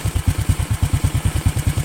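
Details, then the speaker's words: Overhauled Honda Karisma single after a few kilometres of riding and a stop to cool down: a low, even putt-putt at a steady quick beat, no ticking or knocking. Normal, stable idle. "kemudian saya berhenti untuk apa namanya menurunkan suhu mesin dan suaranya tetap stabil"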